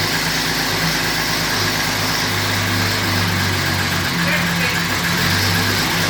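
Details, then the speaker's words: 2010 Camaro SS with turbo Vortec 4200 inline-six swap, just after its very first start, run briefly without coolant: steady even idle with a couple of clean rev blips under crowd noise; healthy, smooth running. "well that went exceedingly well I was kind of amazed at how well the car started being that it was literally the first time we ever uh tried to fire the vehicle"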